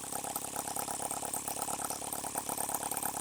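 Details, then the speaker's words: H76 Microcosm twin-cylinder model engine on the bench with no leaks: quick, even chuffing with a light rattle and no missed strokes, running fast; normal running on both cylinders. "it comes we are running on two cylinders I'm running a whole lot faster"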